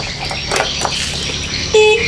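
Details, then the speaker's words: Honda Vario scooter, hard starting when cold, battery reading 9.41 V with engine off: brief, thin, feeble horn bleat showing very low battery current; charging/regulator being checked. "suaranya klakson dengarah kayak gitu aja nah ini arusnya sangat-sangat kecil"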